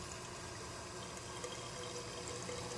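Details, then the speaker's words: PSK 100 protein skimmer on a saltwater tank, hooked up an hour earlier and breaking in: soft irregular watery gurgle over a faint pump hum; owner assumes it needs air brought in. "you can hear gurgling it might get annoying so i'm assuming that needs air to be brought in"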